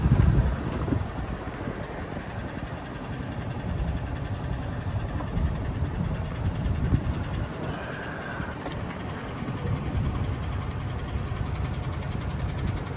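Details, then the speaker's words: 2017 Hyundai Genesis G80, 3.8 engine, 41,481 miles: uneven idle with a stumbling beat about four times a second. It began missing and smoking white from one tailpipe after refuelling. Dead miss on cylinder 4 (under the intake manifold) at idle and under load, traced to a bad, stuck-open fuel injector. "Anyway, we got a dead miss on number 4. And I believe number 4 is on the side that it was smoking out of earlier. It's a miss at idle, a miss under load."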